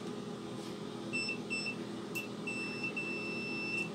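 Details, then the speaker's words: Angle grinder that would not switch on, after resoldering the power switch wiring: continuity tester across the power line ends gives a clean high tone around 2.7 kHz in steady bursts as the switch is pressed, confirming the repair. "ahí debería de emitir la chicharra zona fíjate bien oyera bien sonando ya porque este problema quedó resuelto"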